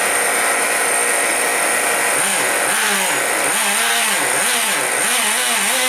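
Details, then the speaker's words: Traxxas Sport Maxx/T-Maxx 2.5 nitro engine after sitting four to five years, running after a suspected fuel-delivery problem from a blown vent line: high buzz blipping up and down about once a second, clean, no stumbling; runs great. "I don't think it was getting fuel and not enough pressure to push fuel through but now it seems to be working"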